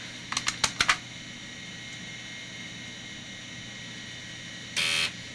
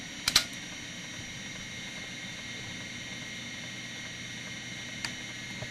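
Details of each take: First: MICATA MBVLSI-168 AMD 286 system trying to boot from floppy: a burst of sharp head clicks then a short buzzing seek with no steady reading; the floppy drive cannot read the disk and may need replacing. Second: MICATA MBVLSI-168 AMD 286 system running a hard drive performance test: sparse faint head-seeking clicks over steady fan hum with a few beeps; old hard drive working normally.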